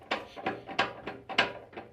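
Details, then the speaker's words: 1984 Land Rover 110 rebuild, gearbox and transfer box out and on the bench, rocked by hand in gear. Sharp metallic clunks about every third of a second, a good knock at the transfer box from slightly worn splines with backlash. "good knock with the transfer box. So potentially the splines are a bit worn. Okay, splines are slightly worn on this one."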